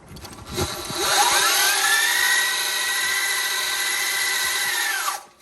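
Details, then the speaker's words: 72v Sur-Ron electric dirt bike after GritShift primary chain drive conversion, riding at high speed: high whine rising with speed over constant rushing chain rattle; loud chain noise. "this is definitely the loudest throne i've ever seen and at high speeds it actually doesn't sound terrible it's just kind of a lot of chain noise as opposed to one of those nice rich engine noises"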